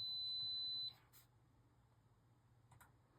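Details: Arabian arcade game power supply after fitting a new LM305 and replacing the bottle cap transistor: a steady high meter beep for about a second, then quiet; continuity remains across the LM305 terminals, so a short remains.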